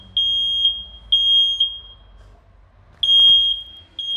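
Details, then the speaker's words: Smoke detector on adapter power, alarming by itself on dense test smoke after ignoring light smoke; paired high shrill chirps repeating with pauses in a quiet room, working properly. "Şimdi arkadaşlar işlem başarılı işlem başarılı şöyle sinyal veriyor ve şu kadar bir Dumandan yani bu kadar bir dumanla test dumanı yaptık arkadaşlar ötüyor kendi kendine öttü"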